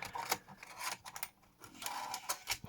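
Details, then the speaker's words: Sony MiniDisc deck from a Lisa separates system, previously stuck in standby, reassembled after repair: brief whirring and soft scraping as the mechanism pulls in and seats a disc, then reads it; loading sounds normal and unforced. "takes it and it's reading it yep get some fire and everything"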